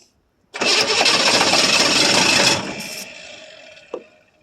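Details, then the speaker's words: 1982 Chevrolet Silverado K10 4x4 with 6.2 L diesel, sat about 22 years, fed starting fluid with much pre-ignition: sudden harsh roar for about two seconds, then it dies. It fires only on starting fluid; fuel supply is suspect and it is unknown which tanks hold fuel. "Okay. I'm out of starting fluid. Well, we're going have to figure out a fuel source for this thing and what tanks got any fuel or anything of that matter."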